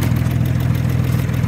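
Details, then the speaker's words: Engine idling after rod knock repair: steady even low idle with no knocking or tapping; bottom end now quiet and healthy. "Not knocking anymore. Started living quite nicely now."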